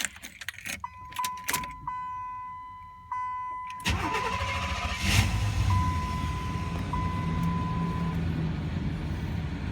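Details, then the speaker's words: 1993 Buick Roadmaster with L05 V8, about 104,667 miles, cold start: short labored crank under a warning chime, then fast cold idle; starter sounds like it is on its way out, replacement planned. "I don't we could hear that like the starter is sounding a little like it's on its way out which is fine"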